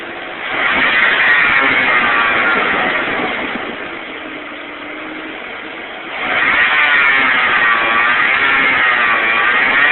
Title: Jeep 4.0L PS Pump Making Buzzing Sound